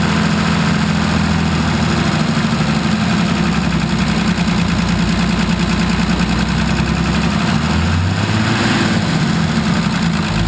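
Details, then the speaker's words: 1980 International Harvester Travelall with Nissan SD33 turbo diesel, after the filter service and bleeding air from the fuel system: steady, even idle with a smooth low rumble and no misses or hunting; this is how it's supposed to sound. "Did you hear all the air come out of it? >> All right. That's how it's supposed to sound."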